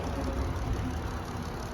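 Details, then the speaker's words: 2020 Jeep Wrangler Sahara with the 3.6 V6, smooth even low idle with no knocking or ticking, a steady healthy hum; normal idle. "Awesome, and it sounds good. No knocking, no ticking, and it is the 3.6 engine that everybody loves."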